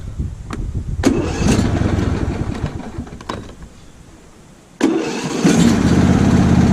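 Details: Lawn tractor small engine on fresh TruFuel for winter storage: several cranking tries and sputters, then catches and settles to a steady note on choke; starts fine with choke.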